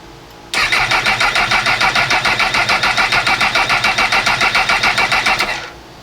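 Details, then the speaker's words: Honda CB1000R, new rectifier and starter motor fitted earlier, died at a petrol station: even starter cranking about three and a half pulses a second, no firing even with starting spray near intake; fuel injectors possibly not getting signal. "This isn't actually the intake, but I'll just squirt that area with something that will make it fire. And then we'll see if it starts now."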